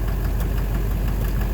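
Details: 2009 Silverado 3500 Duramax LMM diesel dually, 59,900 miles, idling: rhythmic knock about six per second keeping pace with rpm; owner wondered about a pulley, then suspects back of bottom end near the oil pan. Oil analysis shows no abnormal wear; intermittent since 57,500 miles.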